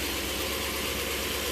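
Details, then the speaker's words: Old short bus, sat roughly ten years, running after better used battery fitted; serpentine belt off, coolant leak and plug wires still to fix; even engine note, no knocks or misfires: normal running. "Don't put your ankle near that. [Music] So, this thing works."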